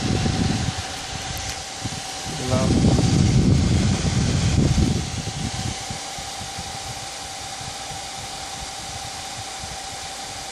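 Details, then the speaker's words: Gigabyte GTX 780 Windforce graphics card cooler at 100% fan speed: loud, steady rush of air with a constant mid-pitched hum holding even throughout; normal fan noise at full speed. "so I hope you enjoyed this is the wind force gtx 780 at maximum fan speed still"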